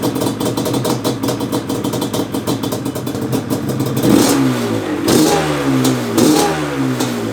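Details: 1997 Yamaha Banshee 350 two-stroke twin after replacing cracked/fallen-out carb jet, rejetted to 310 main and 27.5 pilots: crisp ringing idle picking up cleanly on each blip without stumbling; normal running.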